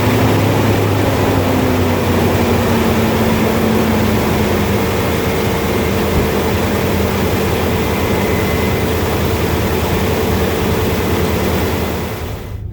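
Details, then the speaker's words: 2002 Ford Explorer 4.6L timing-chain V8 4x4, Flowmaster 44 exhaust, on a cold first start after sitting over a year, jump-started. It settles to an idle with a loose metallic rattle over it. The owner notes rattles on these engines are worrying; the cause is unconfirmed. "You can tell it's been sitting for a while. Thing was rattling pretty good."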